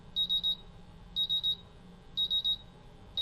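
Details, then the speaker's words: MultiRAE gas detector during a bump test: a sharp, high beep in groups of three repeating once a second as the CO and H2S sensors go into low alarm. "So now the CO sensor is in a low alarm and the H2S sensor is in a low alarm."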